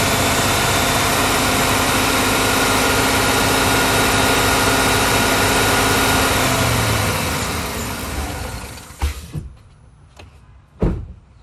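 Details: 2013 Chevrolet Silverado 5.3 idling with a steady thumping beat and uneven lope before shutdown: misfire on cylinder 8, felt as vibration and bumps while driving, no code set yet. Coil pack replacement is planned; cause unconfirmed.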